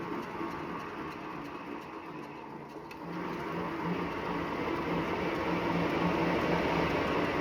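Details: Wahoo Bike Shift trainer after 379 km: soft, regular rubbing swish with every full pedal stroke over the steady hum; belt rubbing, warranty claim.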